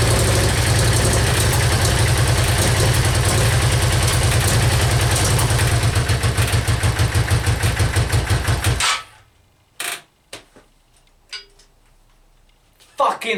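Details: Yamaha Virago XV535 on its first start attempt on choke, after new spark plugs, cleaned carbs, a new air filter and fresh petrol, in cold weather: the twin fires up, settles into an even loping idle of about three beats a second, then shuts off cleanly; healthy.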